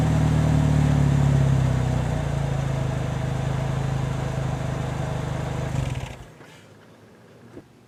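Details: Chevy HHR with newly installed GM Performance/Borla exhaust (resonator, cat with O2 sensors before and after), first start after install: deep, even exhaust rumble with steady low burble fading smoothly as engine winds down; healthy, no leaks or rattles.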